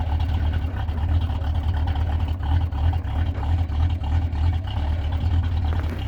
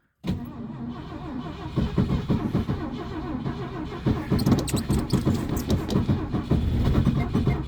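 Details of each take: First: Classic Ford idling just after a -30 degree cold start (it stalled once and was restarted). Deep, steady low rumble with an even, slightly lumpy beat and no knocks or squeals: a normal cold idle. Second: Classic Ford, carbureted, at about −30 degrees cold start. The starter grinds unevenly for about ten seconds without the engine catching. The ignition key is stuck in the start position due to the cold.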